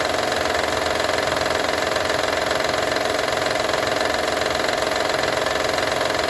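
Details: Honda Odyssey 2012 at steady idle, no load or speed change: a fast, fairly even metallic rattle over the engine; owner asks what needs fixing, engine rattle of unknown origin.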